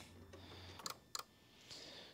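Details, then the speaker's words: 2015 Ford Fusion 1.5 EcoBoost, horn relay swapped: two sharp relay clicks with no horn tone; relay and fuse good. "all right we're hoping for a beep beep here i hear it clicking i don't hear no beep beep"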